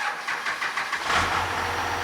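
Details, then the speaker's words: 12-valve Cummins diesel during governor and idle spring tuning, on a run-down battery: starter turns over in slow labored pulses for about a second before the engine catches and idles; slow cranking from a weak battery. "starter is getting slower we should we should definitely put the battery charger on just so it's like a fair yeah cuz getting this thing set up with a dead battery"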